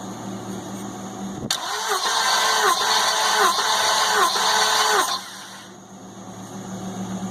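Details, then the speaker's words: Engine being cranked for a compression test, reading about 165 psi; steady, even beat of about 160 per minute; normal cranking. Owner, worried by an earlier noise, suspects only a fouled plug. "it's cranking a little faster which is real"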